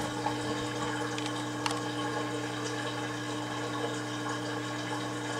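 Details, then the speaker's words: Kenmore (LG) 796.41392.511 front-load washer, 5 years old, draining slowly after every valve overfilled it: steady low pump hum with higher second tone, light water gurgling; normal drain pump running. "now it's taking a while because remember I used every single valve to fill this machine up to like above its high efficiency level so there you go when you hear the water stop pumping that means it's safe to turn it off"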